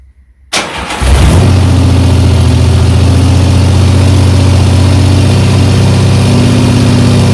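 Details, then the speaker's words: 1975 Triumph Trident T160 on its first start after a full engine rebuild: it catches and runs fast, steady and even on choke with no knocks or misses, and the engine sounds fine. "going off brilliant engine sounds okay i'm just going to try and run it turn the choke off and get the revs down a bit"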